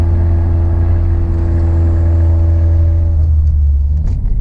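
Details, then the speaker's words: Turbocharged Ford Mustang EcoBoost with catback exhaust, tips and resonators removed, cruising on the interstate with windows closed: a deep, steady booming cabin drone that is far too loud, with some backfiring at low rpm. "See, I mean, it sounds great when it's louder, but like when the RPMs are higher, but just driving, it just doesn't sound good. But yeah, but the main thing was that when I'm on the interstate, it's so loud."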